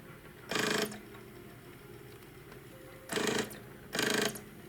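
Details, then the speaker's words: 3DO disc drive that stopped reading CDs after about 5 years sitting; the owner suspects the two rails need lubrication and the motor may need replacing. Three harsh one-second grinding buzzes with pauses as the laser sled seeks on a cracked gear. "Now this is just for the audio. I just want to I want you to listen because it sounds horrible."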